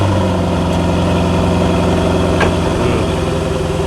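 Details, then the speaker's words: Newly delivered, well-kept Corvette stored in a bubble for a long time: a steady, even low idle with a smooth exhaust burble and no ticks or knocks. It sounds clean and is a normal idle. "That's great. Yeah. Sounds clean."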